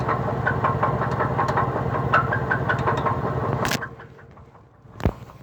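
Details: 2003 Cadillac DeVille, cold morning start: rough idle with an uneven knock about three times a second and a faint chirping squeak, exhaust shaking, then the engine stalls; cause unknown.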